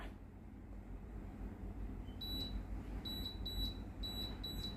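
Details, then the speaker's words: Tefal blender model BL967B66/870, panel buttons not responding, sometimes shows L6: short high beeps about twice a second as buttons are pressed; blending works but other menus won't respond; jug NTC resistance to be checked first. "ได้ยินเสียงดังปิดๆนะครับสามารถกดปั่นได้นะครับแต่ว่าเมนูอื่นไม่สามารถกดสั่งงานได้นะครับ"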